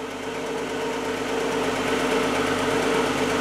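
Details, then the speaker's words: 1997 Audi A4 2.8 V6 first start after timing belt and water pump replacement; steady, even idle, smooth hum, no ticks, knocks or whines, cams in time. "And here we are, engine is started. No noises, sounds good. Cams are all in time."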